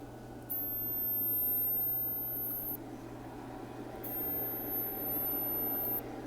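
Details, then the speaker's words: Kessler Crane camera-crane control box on the bench, microphone held up to the overheating power MOSFET: low hum under a faint hiss that swells and fades; it smells, and runs at 250 degrees on the thermal camera, cooked. "that does not does not sound good at all"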